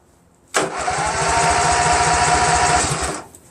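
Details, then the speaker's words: Craftsman GT6000 garden tractor repowered with a Briggs & Stratton Vanguard 16HP horizontal-shaft engine, on its first crank test with no fuel supply yet. The starter spins the engine at an even three beats a second with no grinding or slipping. Normal cranking. "I just want to see if it cranks you know I mean theoretically it should"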